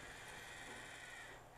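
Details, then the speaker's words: Used Panasonic RS-270US cassette deck after new belts and service, fast forward tested: even, light whirring with a thin high whistle and no clunking, which it made before; fast-forward drive now normal. "Ah, much, much better. Not making that clunking sound either."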